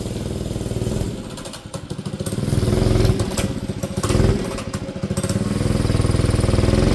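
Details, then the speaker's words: Manco Streaker mini bike: single-cylinder sputters and surges, stumbling when throttle opens; lean, only pulls under choke, needs richer idle screw and jet (125 jet later cured bogs). "So, it starts and runs and idles and it it'll move, but it only really likes to move under choke. So, that's a good good indication it needs a richer richer idle idle screw."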